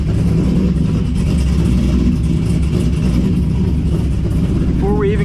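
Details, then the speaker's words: 2006 Corvette C6, LS2 6-speed manual, Texas Speed 233/239 .600 lift 112 LSA cam with long tube headers, no mufflers; first start, untuned, in neutral: low choppy uneven loping rumble at idle, very unique sound, lumpy cam idle. "put on the clutch movement of truth oh yeah okay it's got a very unique sound"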